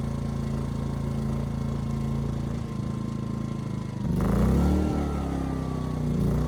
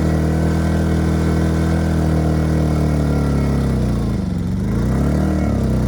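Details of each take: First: Ryobi RYI2300 inverter generator, 15 months old, after fix: stalling under heavy load solved by turning the easy-start knob further. Steady drone, brief speed bounce as load comes on, then settles and holds smoothly; normal running under load. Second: Ryobi RYI2300 inverter generator, 15 months old, replacement carb still running lean: drone sags and wavers under heavy load, hunts and claws back, stalling under heavy load after about a minute; fuel starvation, owner suspects clogged fuel filter or tank vent.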